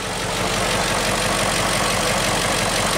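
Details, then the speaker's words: X5 engine at first start: steady smooth idle with a light quick lifter tick because the lifters are still sticky; no smoke, running smoothly. "the lifters are still a little sticky so you can hear a bit of ticking but let's check under the hood"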